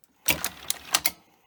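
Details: Grundig 2x4 Super V2000 video recorder under repair, new belt fitted, brake linings missing from the mechanism: short burst of five sharp dry clicks in about a second, then quiet. Owner suspects the missing brakes affect a switch in the sequence.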